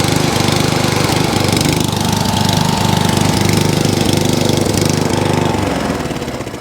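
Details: Mower with a Dell'Orto carb, left overnight with fuel and no leaks, started on choke: small single-cylinder thumping that surges and sags unevenly; hunting because the choke was set too far.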